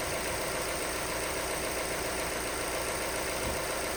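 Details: Vauxhall Astra salvage rebuild, first start after non-start, fault codes 24 and 59 still present and coolant needed: steady idle, even smooth beat, no knocks or misses; doesn't sound too bad.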